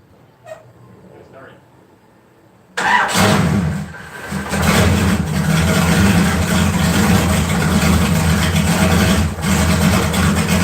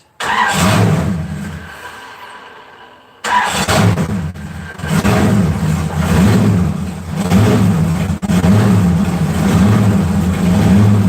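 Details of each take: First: LS 4.8 V8 swap, just switched to 60 lb injectors, running a new remote tune after struggling to idle; engine cranks briefly, fires and settles into a steady, even, smooth idle with no misses. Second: 4.8 LS V8 being started and run: catches, revs and settles to a lumpy, loud idle with a raspy puffing edge from an exhaust leak; exhaust leak.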